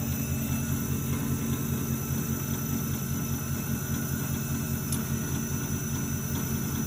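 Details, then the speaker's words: Alternator on an AD100 tester using the Ford SIG system, starting to charge at 650 rpm with the bench at 12.1 V and 14 V targeted. Steady, even whir and low hum with no bearing growl. Normal alternator operation. "Now the alternator wants to do something. You can hear it starting to hum a little bit."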